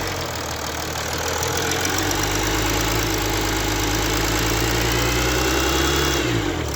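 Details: Mercedes CLS 350d with OM642 diesel: faint, thin whistle into the cabin over the engine note when pressing the gas at low speeds, not heard when the engine is cold; owner is unsure whether it is normal.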